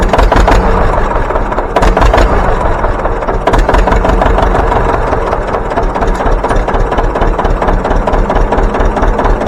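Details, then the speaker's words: John Deere 720 two-cylinder pony-start diesel after repairs: pony starter repaired, factory coils back in the pony motor so it fires on all four cylinders, fuel leaks fixed. Heavy, slow putt settling into an even beat with no stumble: normal running. "we're going to fire it up for you and show you how she runs now with them that pony motor hitting on all four cylinders"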